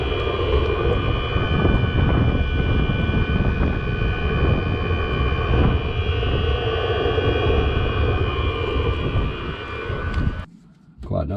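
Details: Chinese diesel heater (clone of an Eberspächer-type unit), before fitting exhaust silencers: loud, steady jet-like roar with a deep rumble underneath, then cuts out; cause uncertain, owner suspects the exhaust system.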